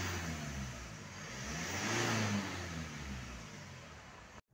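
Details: Mitsubishi Strada/Montero after the holed intercooler-to-throttle-body air hose outlet was replaced with a genuine part: the engine swells under a rev and falls back cleanly, with no boost-leak hiss or whistle; the intake is now sealed.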